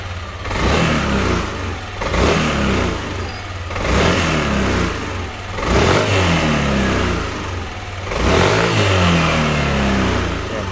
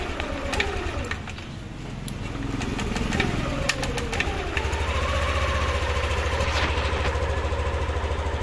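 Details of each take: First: Yamaha Aerox version 2 scooter after fuel injector (FI) cleaning, previously dying on throttle with a weak battery: revs up and settles back repeatedly and cleanly with no stumbles or cut-outs, now fixed. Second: Yamaha Aerox version 2 scooter with weak battery, fuel pressure 34 psi (fine): uneven, slightly hunting idle with clicks, stalls when throttle applied; suspected dirty or clogged fuel injector, checked next.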